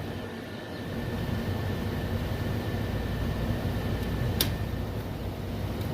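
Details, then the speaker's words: HVAC makeup air unit fired up on a noise complaint: a rough, churning grind like rusted old disc brakes under the blower's rumble, with a faint thin whistle and one sharp click. "yeah sounds like some rusted out old disc brakes"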